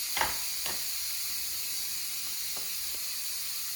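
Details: Instant Pot cooking brown rice, about 1 minute after releasing the pressure valve: soft steady steam hiss, gradually weakening with a few faint ticks, while waiting for the valve to drop; normal pressure release still finishing.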